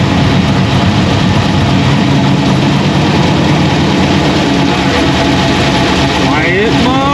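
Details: 2001 Pontiac Trans Am WS6 with a roughly 500hp cammed LS1 on its first start since dyno break-in, still untuned: deep, choppy idle with an uneven lumpy beat at a steady level; healthy cammed engine settling into idle.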